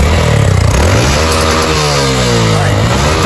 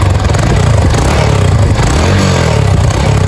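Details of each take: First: Single-cylinder motorcycle knocks "toc toc" climbing hills, feels weak and smokes/burns oil; mechanic suspects cylinder skirt (piston) slap. Loose hollow knock riding the exhaust beat under revs; idle noise blamed on clutch drum. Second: Single-cylinder motorcycle after work with cylinder kit, valve seals, cam chain and rockers all checked OK; a chronic noise remains at the clutch drum. Revved, then a steady, even low-thump idle with no knocking or rattle; running smoothly.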